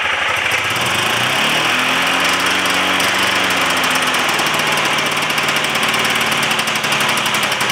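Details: Yamaha Phazer 2 snowmobile, free sled, carbs reset to factory settings, old gas drained and fresh added, jump pack: buzzy two-stroke starts but bogs and sags when throttle is opened; owner later suspects it runs on one cylinder and needs plugs.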